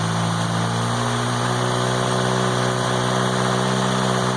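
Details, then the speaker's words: MK2 VW GTI converted from faulty fuel injection to four Yamaha R1 motorcycle carbs: the four-cylinder holds a steady, even hum a bit fast, idling slightly high; owner suspects it's getting too much fuel, though it doesn't smell rich. "my idle a little high yeah my night a little high and it's fitting because I think we're giving it too much fuel"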